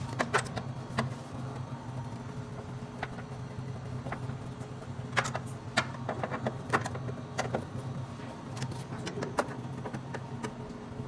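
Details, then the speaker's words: Refrimate beverage display cooler after replacing the worn, noisy condenser fan motor near the compressor: steady low hum running quietly, no rattle or squeal, a few handling clicks. "bom aí já funcionando o equipamento sem fazer barulho você pode perceber que já não faz barulho"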